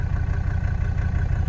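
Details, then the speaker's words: 1985 Mercedes-Benz W123 300D turbo diesel, OM617 engine, at idle: a steady, low, even rumble with no knocks or misses, purring like a sewing machine, with a slight low exhaust rumble. Normal diesel idle. "it is just purring y'all it is just purring man oh man oh man sounds so good y'all sounds like a sewing machine I love it"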